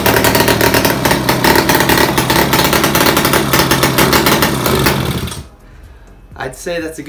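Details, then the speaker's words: 1978 Puch Magnum X 50cc two-stroke, long non-running, first start on choke: fast crackly buzz runs steady about five seconds then cuts out. "first start took a minute but wo she's back to life guys"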